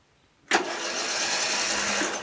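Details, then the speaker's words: Murray Select 12.5HP 40-inch lawn tractor, in neutral, choked, deck up: starter spins the engine fast and even with no compression pulses, freely spinning, indicating zero compression. "So guess what, guys? I don't feel any compression whatsoever. None. It's just freely spinning."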